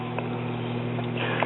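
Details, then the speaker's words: Newcomb RT10P classroom record player, after a speaker replacement: a constant low 120 Hz mains hum through the amplifier. A failing capacitor is suspected but not confirmed. "still got a little hum here it sounds like 120 hertz hum so we may have a cap that's failing that we need to check"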